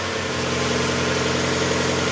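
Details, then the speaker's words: 1992 Mazda Miata 1.6 L after timing belt, idlers and water pump replacement with new oil and filter: brief lifter noise at startup clears within seconds, then steady even idle with no ticking or knocking. "so I had a little bit of noisy lifter at the beginning and of course within a couple of seconds all that new oil went right through pressurize the system and I'm up and"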